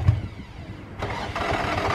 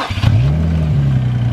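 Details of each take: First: Infiniti G35 after tightening starter connections: two long bursts of even cranking, near two pulses a second, never catching; owner suspects it wants fuel or old fuel, later starts with a little smoke; crank, no start. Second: Infiniti G35 started without jump box, battery said to be good: brief crank catches at once, settling into a steady, deep, even idle; healthy start.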